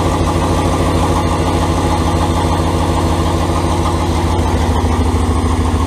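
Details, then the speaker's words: Turbo 5.2L Dodge Ram first fire-up with exhaust only tacked, not fully welded: loud raw idle with a sharp ticking puff on each firing pulse, about three per second; exhaust leaking at the unwelded joints. "well it's really loud we're really tired and there is quite a bit of exhaust leaking going on cuz it's just all tacked on us so I guess we'll have to wait till tomorrow"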